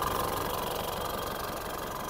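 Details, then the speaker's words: Mitsubishi Montero 4D56 diesel idling, brought in for suspected EGR fault, engine support broken: harsh loose clatter with busy chuffing, strong oil spray and smoke from the blowby check; worn piston rings and liners, general overhaul needed. "hindi maganda yung tunog niya hindi ko gusto yung tunog niya para sa isang Montero na 4D 56 hindi dapat ganito ang tunog nung engine na to at dahil sa malakas ang talsik ng langis at Ayan medyo umuusok na siya yun ang delikado dito ah piston ring piston Liner ang problema nito"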